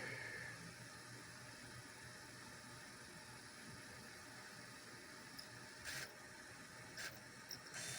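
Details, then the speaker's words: PAL Sega Dreamcast after capacitor recap and disc-height adjustment, laser replaced about 4 years ago and now tired: quiet spinning hiss with brief scratchy seek bursts as the laser hunts, before Sonic finally loads. "Но понятное дело, что лазер здесь тоже. И, ну, такой подуставший, хотя я его менял года 4 назад."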